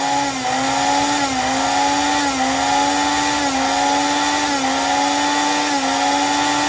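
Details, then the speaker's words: Mixer grinder that was completely dead due to a faulty mains cord, after replacing the cord: steady high-pitched motor hum, even pitch with slight wavering, no grinding or scraping; running properly. "आता आपण त्याला चालू करून बघूया. एकदम व्यवस्थित चालू झालेला आहे मिक्सर."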